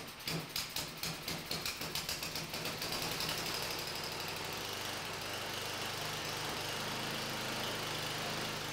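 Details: John Deere 1032D snowblower, 10 HP Tecumseh engine, pull-started (electric starter faulty), surges with choke off: catches with uneven lumpy puffs then runs unsteady and hunting; dirty carburetor, owner plans to replace it.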